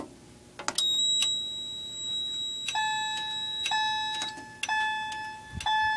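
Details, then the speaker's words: FCI 7100 2D addressable fire alarm control panel sounding through a chime and strobe in fire drill mode: a clear tone repeating about once a second that cannot be acknowledged or silenced until drill mode is exited. "yeah so it's in drill mode right now and since it's in fire drill you can't acknowledge the alarm or silence it"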